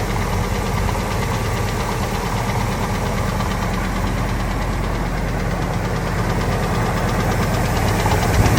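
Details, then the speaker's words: Ford F250 V10 after new injectors and headers, oil pressure good: light uneven valvetrain tick about three per second over steady idle, coming and going, quieter than before; owner suspects lash adjuster or rocker arm. "That means that, see, it stopped ticking. But it only ticks every now and then."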